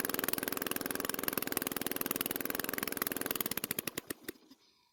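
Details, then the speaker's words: Unmaintained Toro mower after valve clearance adjustment (intake was too tight): runs unevenly with loud irregular popping about three per second, then stumbles and dies; loose rocker stud upsetting the valve. "unfortunately while it was running and i was moving the camera to a different position it started to run badly it only took a few seconds to go from sounding normal to whatever that was"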